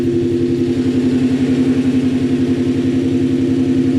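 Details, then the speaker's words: Supercharged S62 E39 BMW M5 after rod bearing replacement, idling just over 1000 rpm then briefly revved: steady, even beat with firm exhaust pulse, no knocking or ticking; normal running. "that is amazing at yeah just over a thousand rpm which i think that's plenty in fact like i kind of want to rev it and see see what it does"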